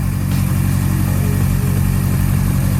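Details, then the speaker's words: Subaru GC8 after being damaged, restarted with hood open: even, steady low rumble, regular beat around four per second, no knocks or misses; seems perfectly fine, though car still acting funky. "it's all good it seems perfectly fine"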